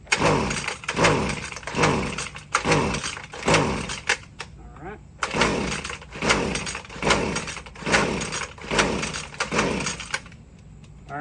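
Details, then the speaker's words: Husqvarna string trimmer (weed eater), after purging the carburetor primer 10 times and pulling on full then half choke with some throttle: repeated pull-cord strokes, engine cranks but never fires; sounds a little weak; no-start. "All right, so no luck."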